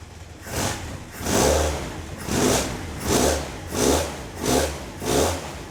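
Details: Caterham Super Seven 1600GT Sprint, 1.6-litre carbureted engine, about 27 years old, 4-speed manual, bare mufflers, after a fiddly start: engine rises and falls smoothly through six clean blips about a second apart, then settles to stable idle; sounds healthy.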